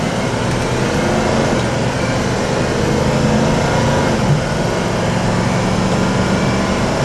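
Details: 2006 Leader diesel vehicle accelerating from a start to about 40 mph: steady drone building under load, faint turbo whistle, smooth shifts as the transmission and turbo cycle through; normal acceleration with turbo spool and gear shifts.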